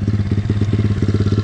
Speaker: 21 SSR 170TX. This thing is a monster. She sounds good too. Been letting her idle for about 5 minutes.